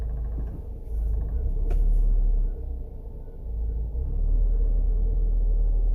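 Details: Honda CR-V first generation, in the cabin: deep droning hum swelling and easing with engine speed, caused by incorrect ignition timing at the distributor.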